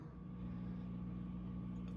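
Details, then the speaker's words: Ampeg V4B tube bass amp, warmed up and idle: loud steady 60-cycle mains hum at constant pitch, plus some frying-egg crackle seemingly from the volume 2 pot, before service. "All right, we uh warmed up the amp and turned it on and it definitely has a hum as you can hear."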